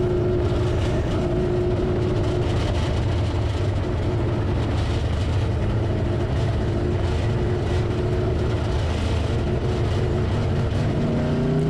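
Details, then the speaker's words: Race car freshly converted from B mod to A mod with a new engine, first laps at a Monett Speedway test and tune: a heavy, rough V8 rumble that never picks up cleanly, loading up and almost shutting off, running rich from fuel pressure set way too high. "t's running but that's not a good sound it's actually loading up really bad and it almost just shut off right there so i'll give you a little bit of spoiler alert the fuel pressure is way too high on this car"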